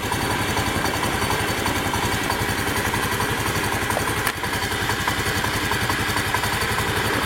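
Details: Fuel-injected motorcycle single, running without a battery after an ECU total-power-loss fault was traced to a wire and relay. Steady, even firing at a quick idle with no stumbles or odd clatter. Normal idle.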